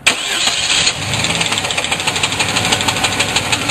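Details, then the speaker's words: Car with about 137,000 miles starting up: the engine catches and settles to idle with a light irregular rattle, about three a second, from underneath. A loose torque converter bolt is suspected rather than the crankshaft; not confirmed. "I think this be the T converter bolt for this it's a lot less serious than a crankshaft"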